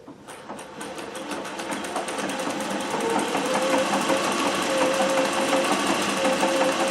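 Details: Singer 411G on a treadle with a custom heavy balance wheel, sewing built-in decorative stitches such as the pyramid stitch. Light, regular ticking speeds up smoothly to about three stitches per second with no knocking or binding; normal running.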